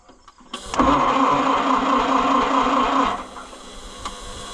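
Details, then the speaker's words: Oliver 550 tractor after pushrod repair and valve adjustment, on a jump box: starter whirs steadily about two seconds without firing; cranks but won't start, suspected bad points or flooding; it started shortly after. "Come on. It may not run cuz the horrendous point there. Come on. It might be flooded, too."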